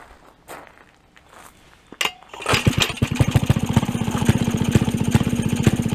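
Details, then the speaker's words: 1928 Maytag Multi-Motor Model 92 two-stroke single, after condenser replacement and plug gap reduced to about 0.015: fires after a pull and settles into a brisk, steady pop-pop-pop, about two beats per second; runs well, dripping slight fuel. "okay but it's certainly working sounds good runs good starts easily"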